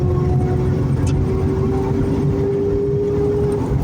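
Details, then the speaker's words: Manual car in third gear at 3500 rpm under load: steady mid-pitched whine over road and engine noise, louder with rpm, stops off throttle, faint in neutral braking; hard shifting, grinds in reverse; owner suspects bad transmission bearing. "Okay, recording the noise my transmission's making. It's in third gear, 3500 RPM. It just gets louder the higher the"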